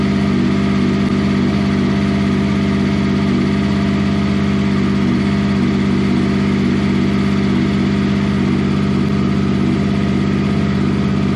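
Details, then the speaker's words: 6th-gen Honda VFR800 VTEC V4, first run after a valve clearance inspection and reassembly, not revved while oil circulates, oil pressure light out: smooth, even, steady idle with a fast regular beat and no knocks or rattles; checking for oil leaks. "straight off the button it cranked probably two or three times and as you can hear it's running absolutely beautifully"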